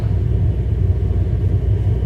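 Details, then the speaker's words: Hartke HD150 bass combo amp idling unplayed, EQ down: steady deep low furnace-like rumble with nothing above it; noisy amp, possibly the power amp, cause unknown. "here's the heart key hd150 do you hear something sounds like a furnace inside the amp can you believe"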